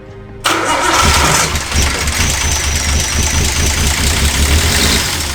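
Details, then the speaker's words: R32 Skyline with used RB20 swapped in after a thrown con rod, first test fire: catches then runs ragged with loud raspy hiss, won't idle steadily; owner suspects exhaust leak or big vacuum lines. "Sounds like we have like an exhaust leak or something. Like a really bad leak coming from somewhere. Or maybe that was the vacuum lines."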